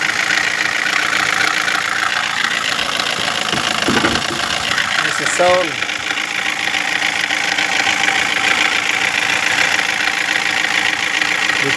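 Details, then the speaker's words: 2016 Toyota Corolla with engine assembly already replaced, idling; a light, uneven ticking knock over a hissy top end, louder than the day before and worse when running, cause still under investigation. "now the sounds become [Music] high from yesterday we are under we are checking and under obervation"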